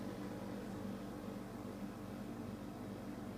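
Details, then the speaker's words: DeLonghi DEM10 compact dehumidifier, a few days old: steady low hum with a constant loud buzzing drone, audible all over the house from upstairs; it also cuts out early with the water tray barely filled. Cause unknown. "it actually makes quite a loud buzzing noise. I'm upstairs in the house, and if I go downstairs I can still hear it all over the house."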